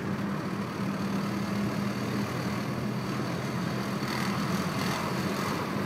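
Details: 1996 VW Golf MK3 1.4 under load: gruff, tractor-like rattling/grinding over a low engine drone at about 1500 RPM in every gear; two garages found no fault.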